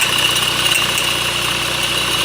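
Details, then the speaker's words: 2008 Honda CR-V 2.2 i-CTDi diesel at idle: steady high-pitched scream over a smooth idle, higher than belt slip, coming from near the alternator; the alternator freewheel (overrunning) clutch pulley is failing. "so you can hear the noise it's pretty high and it doesn't sound like the Bel when it's like slipping no it sounds like much higher than the belt it's like screaming from the engine or like from around the engine maybe"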